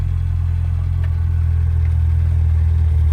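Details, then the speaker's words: 1992 Rover Mini Cooper, 1.3 L single-point injection 4-cylinder petrol, heard from inside cabin: steady even low hum with no knocks, misses or rattles; idles well, engine smooth on acceleration. "But yeah, idles well, and the engine's really smooth upon acceleration."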